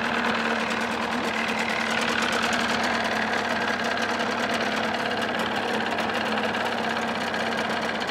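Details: 1979 Evinrude 35hp two-stroke outboard running in a test barrel with the cover on, checking sound deadening: busy buzzy drone holding steady with no misses or knocks; normal running.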